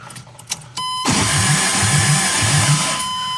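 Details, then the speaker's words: 1972 Toyota Celica with swapped 18RG engine and newly wired MSD 6AL, chasing no-spark: beeping, then steady cranking about four pulses a second without firing; 12 V present keyed but apparently not while cranking, cause unconfirmed. "We're really fighting this long What if we crank it? Well, it's still flashing."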